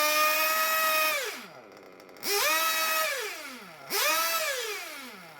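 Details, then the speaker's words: Small RC nitro engine warmed to about 100 °C, low-speed needle set rich: blipped three times, revs sag slowly instead of settling to clean idle, loading up and needing clearing; the more it's revved, the higher the revs go. "so rich low speed needle idle goes down and it's you have to work at clearing the engine cleaning the engine and when you rev it the more you rev it the higher the revs eventually go"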